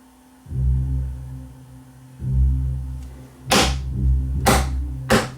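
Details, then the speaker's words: Pioneer BASH (class D-fed class AB hybrid) amplified subwoofer in for intermittent cut-out, playing music: bass thumps then three loud sharp crackling bursts; amplifier faulting as if losing power. "i did hear it faulting and it sounds like a loud crackling sound like it's losing power"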